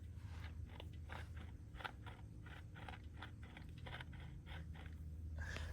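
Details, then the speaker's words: 2001 BMW 330ci, transmission removed, stock clutch and dual mass flywheel turned by hand during removal for a rear main seal job. Gritty irregular crunching about three times a second, judged not normal; cause not found. "I don't think that's normal."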